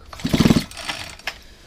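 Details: Non-starting, fuel-leaking hedge trimmer, with the spark plug out and the switch on: a single pull gives about five rapid compression chuffs and nothing catches. The engine turns over but has no spark.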